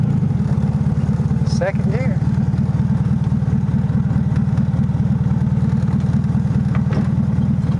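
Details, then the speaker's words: 1971/72 VW Super Beetle, first drive after sitting over 30 years, shifting through gears; steady lumpy beat about two pulses a second with a faint locust-like chirping, source unknown. "whatever that noise is is kind of concerning me though it sounds like a locust but i know that's not what it is try to take it out here shift through some gears"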